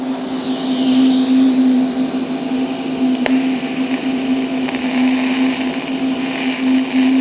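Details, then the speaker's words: TIG welding galvanized mild steel pipe after cleaning the zinc off and extending the tungsten: even, steady buzzing arc hum with one sharp pop; clean, stable arc with only slight popping from the galvanizing, no porosity. "see now if you look you don't have the paracity here I still have a little bit of popping from the galvaniz but it's a lot cleaner weld there you go"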